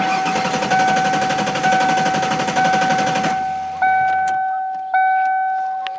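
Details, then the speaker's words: 1995 Ford Taurus SHO 5-speed manual, sitting since October, over half a tank of fuel, clutch in: starter turns engine at even pace with steady whine but it never catches; crank, no start. "Try it again. Crank, no start, just like he said."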